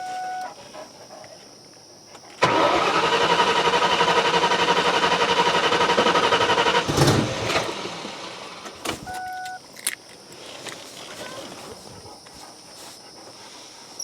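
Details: Ford Mustang revival after sitting, cranked: starter cranks, engine catches with a rough roar for about four seconds, then sags and dies; rough start and stall.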